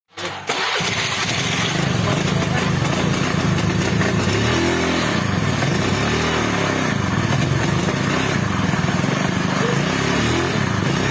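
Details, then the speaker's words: Carbureted Honda Beat scooter: idle stumbles and surges unevenly, unable to ride, only when the regulator/rectifier is connected and smooth when it is unplugged; misfire traced to a loose ground cable. "Ketika kiprok dipasang, motor berbet gak bisa jalan sama sekali."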